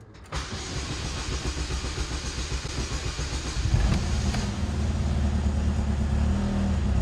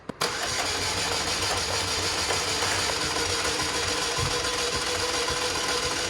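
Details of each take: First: 2004 Chevy Malibu Classic after cleaning and refitting seized oil-pressure timing chain tensioner, first start: fires almost at once, steady even low rumble with no clatter; noise still faintly heard but better, normal start and idle. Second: 2004 Chevy Malibu Classic after ATF engine flush, timing chain tensioner removed: starter spins engine with light even whir but never fires, sounds free-spinning; owner fears dislodged gunk holding a valve or lifter open; cranks but won't start.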